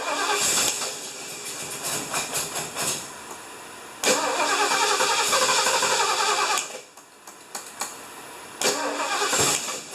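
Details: 1975 Lincoln, just reassembled, first start attempt: the starter churns in bursts with a steady whir but never catches. Crank-no-start, likely because ignition timing is out with the distributor one tooth off; it is to be reseated and timed with a light.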